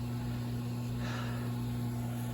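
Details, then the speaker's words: Hiblow HP-60/80 septic aerator after a rebuild kit fixed the broken unit that had triggered the alarm: steady, even hum at constant low pitch, no rattles or cycling, bubbling, alarm off; normal running after repair. "But yes, it's working. Alarm's not on anymore. That's bubble. You can hear it going."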